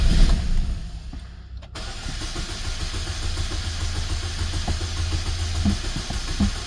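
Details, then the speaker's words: 2009 Saturn Aura 2.4 Ecotec, fuel pump reportedly already replaced, crank-no-start: starter cranks steadily for several seconds with about 60 psi fuel pressure but never catches; injectors getting no power. "And she's not starting. Well, we know if we give it fuel, it will start. Okay, so we know we have good fuel pressure."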